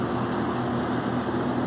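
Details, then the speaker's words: Vintage New Home 20-inch box fan on final test after a clean, lube and reassembly; steady whoosh with a fine buzzy rattle from its loose grill cage, with all the metal stripped out. "rattling cage noise go away, but it's alive."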